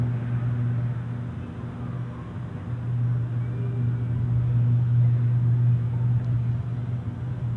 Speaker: you see is nighttime but over here is daytime and it's making a real loud humming noise I don't know what this is but it's definitely gonna be in the news today